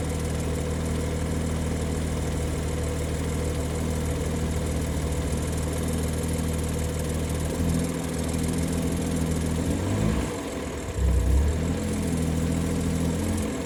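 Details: BMW with a 200-cell sport catalytic converter at steady low idle: faint metallic rattle underneath that shifts with revs. Owner suspects the wastegate rather than just a heat shield; unconfirmed.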